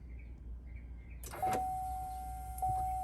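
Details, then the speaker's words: 2020 GMC Sierra Denali HD with L5P Duramax diesel, priming after installing a Fleece Performance filter adapter and a Donaldson P553203 spin-on filter, start button held about 10 seconds without the brake: a steady, even electric hum. Normal fuel pump priming. "So on these 2020s, you just, without putting your foot on the brake, push and hold for like 10 seconds until you hear the fuel pump"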